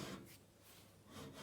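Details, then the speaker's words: Logosol PH260 during strip-down and rebuild, with its drive turned slowly by hand. A dry scraping rub swells twice inside, when everything should be silent. "i can feel something groaning on that hear that rubbing that's not good these should all be solid everything should be silent quiet as mises"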